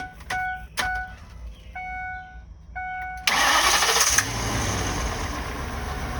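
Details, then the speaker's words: Ford 6.8 V10 after repairing blown-out number five spark plug, Loctite set overnight, morning start: chimes, short crank, then a steady even idle with no missing beats or stumble. "now that's what we like"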